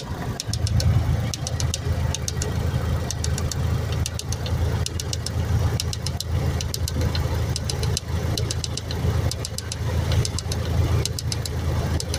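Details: 2002 Honda Civic engine idling: sharp, quick ticks in short clusters over a steady low hum; a ticking noise of unclear source.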